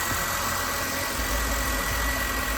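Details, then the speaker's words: 2009 BMW X5 3.0 after A/C belt installation: steady, even idle hum with the A/C compressor engaged and no belt squeal or chirp; normal idle with A/C on. "Okay, it's on. I'm gonna turn it on. Okay, everything looks good. Let me fire the AC. All right, everything looks good."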